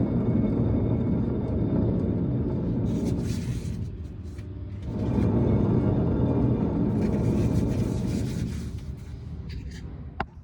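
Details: Hand-spun front rotor on a 1955 Chevy gives a coarse, gritty grinding rumble that swells and fades with each spin, pointing to dry, worn wheel bearings behind a screeching on the road; the bearings were then replaced.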